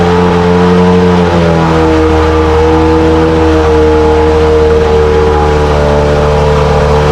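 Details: 1968 Evinrude Fastwin outboard, dirty and untouched, first run in a test tank after the seller said it ran weeks ago: even, steady two-stroke buzz at a constant pitch with no misses or knocks; runs like a top. Normal running.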